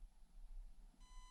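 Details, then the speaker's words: Stock Axial SCX24 Deadbolt micro crawler on a Klemm Floh brushed ESC: low rumble, then a steady thin high whine near 1 kHz at low throttle; low-speed control is mediocre. "hear the whine, and low speed modulation is going up a step."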